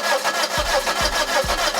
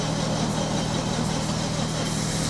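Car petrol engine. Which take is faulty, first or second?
first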